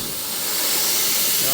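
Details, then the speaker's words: Jeep Cherokee XJ 2.5TD with rebuilt GT2052 turbo, pressure test of intake while engine off: wastegate moving, holds pressure fairly well but steady sharp hiss of escaping air. Boost leak. "wastegate should start moving just holding pressure pretty good you can hear a leak there yeah"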